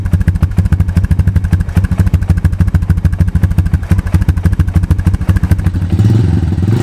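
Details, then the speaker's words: 2002 Honda TRX250EX quad left outside under a tarp for 10 years, first start after fuse replacement and fuel additive: rapid, uneven knocking about three per second over a low idle; stethoscope places knock near the clutch, owner hopes clutch adjustment fixes it. "it's running pretty good right now but the engine is making a knocking noise and i was concerned i used a stethoscope and i can tell it's coming from up here which is where the clutch is"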